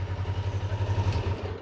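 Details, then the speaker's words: Kawasaki Ninja 500R parallel twin at operating temperature, just after carburetor synchronization with vacuum gauges: even, low, steady putter with no hunting or misses, holding a very steady normal idle. "This one is holding a very, very steady idle."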